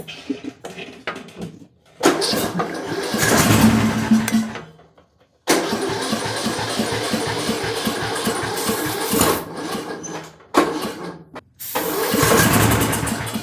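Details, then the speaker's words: Bolens M762F lawn tractor small engine, dead battery, runs only on starting fluid (ether): catches in short bursts, runs rough a few seconds, then dies each time; carburetor suspected gummed up, with gunk visible. "Well, something seems a little off. I'm just going to go ahead and throw that out there. Since it will only start on starting fluid, I have a good feeling that this carburetor is probably pretty bad."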